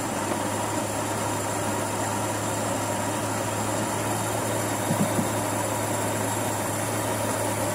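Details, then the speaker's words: Carburettor engine that started easily but died when the throttle was released, after carburettor service and cleaning of the uncleaned rubber hose: steady, even idle with smooth low hum, no stumbling or dips; problem solved, normal idle. "Jadi selesai masalah. Tu saya kata mati enjin."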